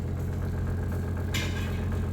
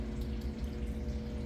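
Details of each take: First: Brastemp BWK 12 kg washing machine: steady low buzzing hum with brief hissing as too little water trickles in, slow fill; faulty two-way water inlet valve assembly. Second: Brastemp BWK 12 kg washing machine that filled slowly with little water and made noise, after replacing the two-way inlet valve assembly; water runs in steadily under a low, even hum with no rattle or buzz. Normal water fill, noise gone.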